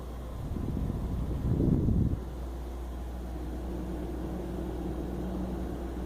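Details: EVGA GTX 760 graphics card under test: low, steady fan whoosh and hum with no high-pitched coil whine from the card; whine heard only from the power supply when the PC is shut down.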